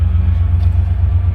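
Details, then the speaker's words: 1967 Cadillac DeVille convertible with V8, automatic and 74,154 miles: deep, even rumble with a steady low pulse and no knocks or ticks while driving; motor runs nice and smooth. ">> Motor sounds nice and smooth."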